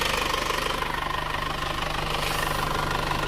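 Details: Overhauled car engine at warm idle after a 40 km test drive, 81–84 °C, no water or oil leaks: steady, even pulse of about three beats a second with no misses or rising noise; running normally, valves still to be adjusted.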